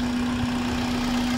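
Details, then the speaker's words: 2006 Toyota Corolla Altis, previously unstable RPM, rough idle and stalling after a starter job, now repaired: steady even idle with constant low hum, no shaking, stumble or misfire; smooth normal running. "Yan normal na yung andar niya. Hindi na siya nanginginig. Smooth na."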